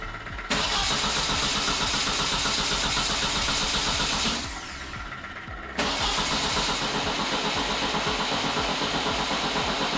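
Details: Once burnt-down VW Beetle flat-four, freshly rebuilt and run on an engine stand with the alternator not hooked up: it catches and runs a steady beat, stops near four seconds, then restarts and holds an even idle. The rebuild runs fine.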